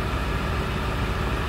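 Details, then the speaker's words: 2002 Ford F-250/F-350 7.3 Power Stroke diesel after repair of a rubbed-through 115V right-bank injector feed wire, valve cover gasket and connector: starts after key-on glow plug cycle, steady even idle with dense low clatter, no misses. "key on glow plug cycle that's much better"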